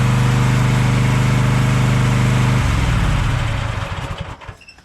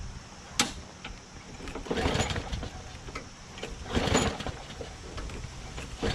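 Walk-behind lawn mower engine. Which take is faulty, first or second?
second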